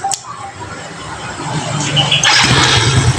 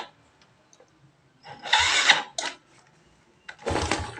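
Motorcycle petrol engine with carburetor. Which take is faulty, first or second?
second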